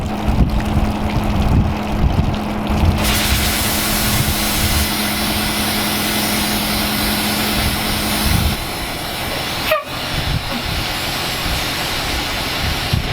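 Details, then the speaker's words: 1986 dump truck, 118,000 miles, diesel idling after testing the dump bed hydraulic pump: steady hiss of escaping air continuing after engine drops away; broken air line under truck losing brake air pressure, brake light on. "Oh sounds like we lost in the airline or something for losing pressure and our brake lights on now I don't think we have enough air pressure to actually actuate the brakes I hear something leakin under here airline right there"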